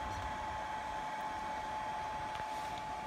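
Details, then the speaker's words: Steady soft whir with a thin constant whine from the cooling fan on the charge controller of an experimental off-grid 25.6 V A123 lithium pack solar system, running evenly and normally. "right now the fan on the charge controller is also making some noise"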